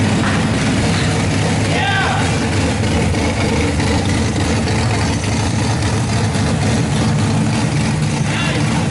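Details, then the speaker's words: RB26 straight-six swapped into a Subaru WRX, first start on a Haltech Platinum ECU base map, cooling not yet plumbed: loud steady low rumble that doesn't settle cleanly, not running 100%; rough running, cause unknown. "I mean it doesn't sound like everything is right. Yeah, it's not 100%."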